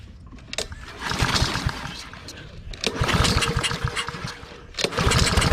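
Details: Pull-start lawn mower with no gas coughs into a few seconds of ragged firing then dies; suspected carburetor problem since previously run on half choke.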